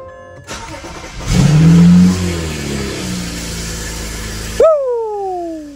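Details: BMW 335i started after the old fuel pump was refitted, following a one-cylinder-like stumble and check engine light while driving: starter whir, then a clean catch, a flare and a smooth, even idle with no stumble.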